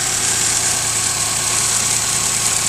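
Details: 1997 Geo Metro, 1.0-litre, 5-speed, with a brand-new engine after a drivetrain restoration (it had smoked with no power before): a smooth, even idle with a steady low hum and no misses, ticks or knocks. Running healthily.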